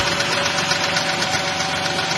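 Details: Engine at about 200,000 miles, warm idle: a fast, even ticking that stays steady, like valvetrain lifter tapping, blamed on the oil; thicker 50-weight oil is suggested.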